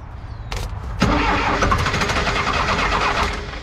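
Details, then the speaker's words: Diesel Lull telehandler sitting about 20 years, cranked with ether, oil from cracked exhaust: short starter whir drops out then harsh ragged second crank; starter drive not staying engaged, must be manually re-engaged. "okay sounds like the starter motor is kind of disengaging too"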